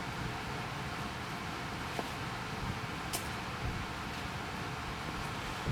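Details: Hopsco ODF1500 outdoor wood furnace squirrel-cage blower fan, switched on manually, drawing 320 watts and moving 1500 CFM. Low, even airy rush with no rubbing, ticking or wobble; normal blower running.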